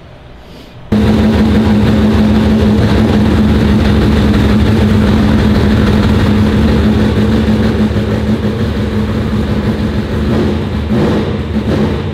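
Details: Turbo Trans Am of about 1200 hp on the dyno after fixing a possibly mislabelled sensor (maybe the MAP sensor) that had it running soft. A loud full-throttle pull holds a firm steady drone for over ten seconds with no stumble, plus a fireball. It sounds better and made more power.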